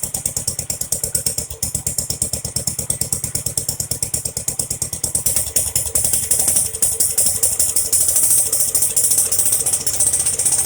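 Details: Jacobsen Chief 800 lawn tractor pulled from the weeds after long storage, first start on an old battery with brake cleaner sprayed in: fast uneven single-cylinder popping with a clattery top end, barely running. Owner suspects dirty old fuel.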